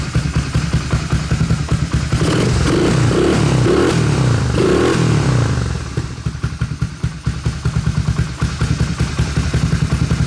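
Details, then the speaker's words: 1986 Honda ATC250ES Big Red, 250cc four-stroke, after sitting five years, with the carburetor installed, remote tank and choke on: a steady low thumping idle with a brief rev rise that settles evenly; normal idle. "Man, this thing sounds good."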